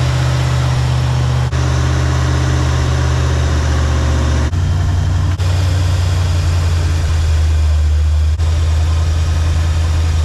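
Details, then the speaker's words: 1984 Chevy Silverado with swapped-in 350 small block V8, about 12 degrees timing advance at idle: deep, even burble at steady low idle with no misses, hunting or knocks; sounds healthy, earlier it died when idled down. "About 12 degrees at advance right now at idle. Pretty steady. Sounds good."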